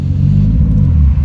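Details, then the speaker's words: Toyota 1JZ Chaser after an intake pipe change, revs held: only deep engine rumble with no turbo spool or whistle; owner first suspected the downpipe, but the wastegate actuator was disconnected, flap stuck open, no boost. "it's like i've got no turbo i think something must have come loose"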